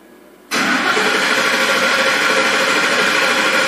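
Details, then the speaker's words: 2007 Ford F-150 5.4 three-valve with cylinder misfire codes, during a relative compression test (key on, pedal floored): even cranking rhythm, all cylinders at the same rpm, no dragging or uneven beats, so mechanically sound. "well you can kind of tell by the cadence of the engine that there is no serious mechanical issue all cylinders seem to be fluctuating at the same rpm"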